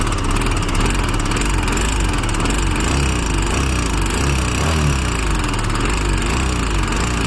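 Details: Royal Enfield Himalayan BS6 single cylinder running steadily with a dry, clattery rattle riding over the low thump; abnormal engine noise, cause not obvious.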